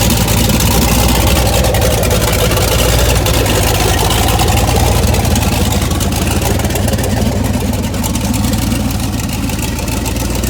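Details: 1981 Toyota Starlet with 6.0 LS truck engine, Summit stage two turbo cam, twin DT466 turbos, idle surge from overrun fuel cut now fixed: loud choppy lumpy V8 idle holding steady without surging; runs normally.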